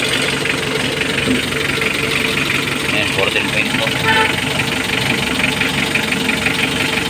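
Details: 2015 Mitsubishi L300 diesel after fixing its morning hard starting by tightening the loose black wire at the glow plug heater module, charging at 13.6 V: a steady idle with an even, unhurried beat and no misses or knocks. It runs smoothly.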